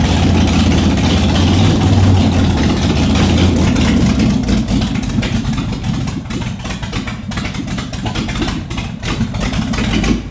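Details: Ford 427 V8 in a Shelby Cobra, first run in the car in nearly a decade, open exhaust, carburetors still on intake: lumpy, hunting idle that never settles; suspected major vacuum leak, oil pressure gauge doubtful; poor idle.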